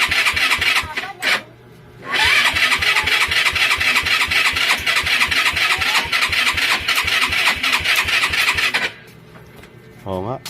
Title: rusi gala hard starting, solve!